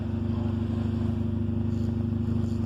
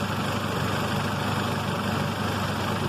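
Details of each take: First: 1994 Honda Civic LX, under 93,000 miles, idling after a jump start with the air conditioning running. A loud, throaty pulsing exhaust note from a bad muffler. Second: 1994 Honda Civic LX under 93,000 miles, jump-started, idling with the AC on, heard at the engine bay: a steady, even, quiet hum with no knocks. A bad muffler makes the exhaust note loud.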